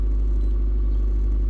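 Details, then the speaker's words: Toyota Previa in park holds a steady high idle of 1400 RPM after being revved, dropping to normal once put in gear; P0171 code present, cause suspected, not confirmed. "And see, the vehicle likes to high idle for some reason. You hear that? That's something that it likes to do once you rev it up, is sort of just maintain a high idle."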